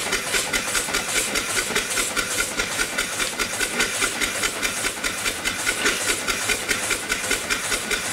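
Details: Upright steam engine after the off-time eccentric was retimed, running below 20 psi on a weak fire, with O-rings too narrow to seal. Even, rhythmic chuffs about two and a half a second, steady and regular: valve timing now right.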